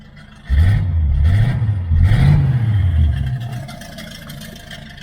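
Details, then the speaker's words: 1978 Chevy Nova V8, abandoned 25 years, now fitted with new headers, true dual exhaust and single-chamber race mufflers; generator light on, possibly a bad alternator. Throaty blips, then a low smooth rumble with a slight shake but no noises. Normal idle. "The engine is nice and quiet now. We got a little bit of a shake, but no noises."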